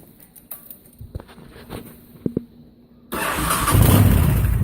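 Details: 2005 Honda VTX 1300R V-twin with Cobra slash-cut slip-ons just fitted, carb rejet and air intake not yet done: quiet clicks then fires abruptly into loud deep even rumble without misses; normal start and running.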